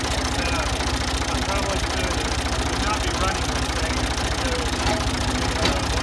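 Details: Ford 2000 diesel tractor with suspected bad injectors, running on Diesel Purge from a bottle tank; rough idle with a sharp, uneven knock about a hundred times a minute; knocking at idle, cause not confirmed.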